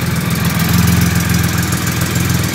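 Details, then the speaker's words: 2008 Triumph Rocket 3 after starter relay mod, started on a borrowed battery: deep, even idle with steady low pulse, no misses or stumbles; normal idle. "alrighty well it looks like a bloody winner that does terrific"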